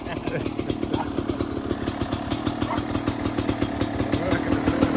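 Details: Beta RR 300 two-stroke, first start after conrod and piston rebuild, electric starter, 138 engine hours: crisp, rapid popping at about three firings a second, holding a fairly steady idle; normal running.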